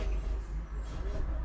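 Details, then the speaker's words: Chevrolet Spin (2022–2023 line) starter cranking heavily and slowly, sometimes not turning the engine at all; chronic fault persisting despite extra grounding work, fixed by replacing the starter motor. Slow, laboured, uneven cranking without catching. "Ó, viram como tá pesado? Ó, de novo, vou mostrar pra vocês na íntegra. Ó, ele não vira, ó. Gente, muito pesado."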